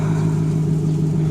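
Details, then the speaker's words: 90s/2000s Toyota/Lexus engine idling after flushing the power steering system with ATF: even low hum with no whine, where there was a slight power steering whine before the flush; normal power steering. "Before it was a slight, power steering whine. She's all good now, I think, I hope. No noises whatsoever."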